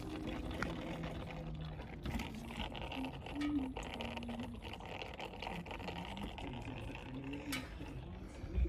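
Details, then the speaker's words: Porsche 997/996 warming up after replacing the two small front coolant hoses at the flow and return pipes, during coolant bleeding; irregular gurgling over low engine hum as trapped air works out, antifreeze spurting from the open expansion bottle. "I had the bottle top off and it just spurted out a load of antifreeze. You can hear it gurgling away."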